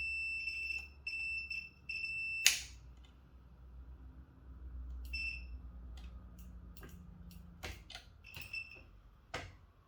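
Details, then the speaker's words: Neato Connected robot vacuum, about 7 years old, multimeter continuity test on a bumper switch's pads: short clean high beeps each time the probes touch, then handling noise; the switch passes continuity and works. "That one works. Was this one that doesn't? Sounds dead, but nope, it works."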